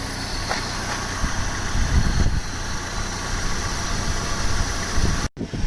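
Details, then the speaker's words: Opel Vectra B CDX 2.2 16V petrol idling with air conditioning on during an air-con regas check, system later found 560 g of 900 g charge: steady, even low rumble, no knocks or misses; idling healthily. "It was working fine before. Sounds well. Should do, it does work alright."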